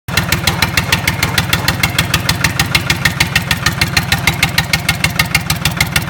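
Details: Lister Petter SR3 air-cooled diesel after rebuild: even, crisp diesel clatter at a steady rate, firing regular and unbroken with no misses or knocks; healthy normal running.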